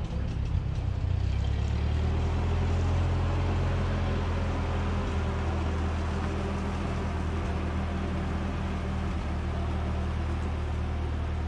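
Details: 1946 Ford 2N tractor, flathead four, after head gasket replacement, driving down the road: steady low, even drone with smooth firing, no knocks or misses. Normal running.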